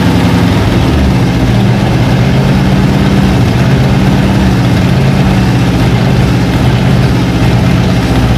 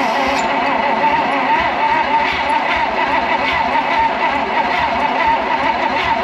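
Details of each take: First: Abandoned 1956 Oldsmobile 88 revived after plugs done and carburetor bowls filled; deep, even low rumble with a steady beat, no knocks or misses; settles into a smooth idle. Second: Abandoned, partially disassembled 1956 Oldsmobile 88 after sitting in a shed, fuel poured in, spark present; starter churns steadily in an even rhythm but it never fires; owner suspects very low compression, unconfirmed.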